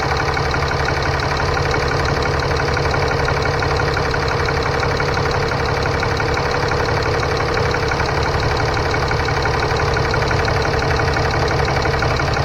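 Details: 2015 Ram 3500 6.7L diesel idling after turbo wastegate actuator replacement, coolant at 131, gassed a little. Steady, even clatter with a smooth low rumble, no misses or knocks. Normal idle.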